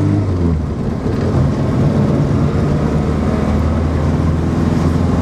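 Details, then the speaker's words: Morris Minor after ignition system repair, cruising in fourth gear without threatening to die as it did before: smooth, even low engine drone with steady firing and no misses. Normal running. "let's see sounds good [Music] brilliant"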